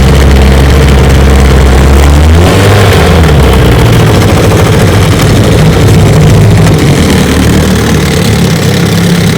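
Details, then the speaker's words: 1972 Johnson 9.5 hp outboard, fully mechanically restored (carburetor, tune-up, magneto ignition, lower unit seals), test run: deep steady low putter settling after a brief blip; smooth healthy idle. "she's a 1972 9.5 horsepower johnson it's a light restore fully mechanically restored carburetor tune-up kit ignition magneto lower unit seals everything redone and she runs great"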